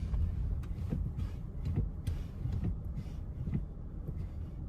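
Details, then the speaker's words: 2022 Kia Sorento while driving, after removing batteries that slipped between heater vent and carpet and caused a rolling noise; only low road rumble, nothing loose rolling in the cabin; noise fixed. "all right as you can see noise is gone after removing those batteries they had to have slipped down in between the uh heating vent and the carpet that's the only way they could have got down there but the noise is gone"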